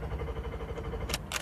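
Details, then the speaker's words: Broken-down car cranking: steady low chugging as the starter turns the engine over but it never catches; owner suspects the fuel pump, not confirmed. "I think it's the fuel pump. Listen, it won't start. Listen."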